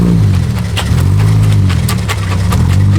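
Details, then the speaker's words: Ford AU Falcon with a welded diff (spool), maneuvering at low speed in a car park, recorded from inside: low drone under uneven chirps and thumps about 0.75 s apart, shaking the cabin, worse in reverse; tyres scrubbing and hopping. "Oh, you hear it chirping [Music] and it shakes the whole inside of the car. That's probably the worst part about it. All right, reverse is even worse."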